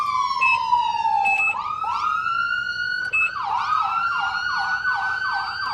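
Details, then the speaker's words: 2012 Lifeline emergency vehicle on a Ford chassis, two-tone siren operated from the steering wheel horn ring: clear siren sweeps smoothly in pitch, then switches to a rapid repeating yelp; working properly. "Oh, it's got the two-tone siren, so it sounds like an armada of emergency vehicles are coming down the road."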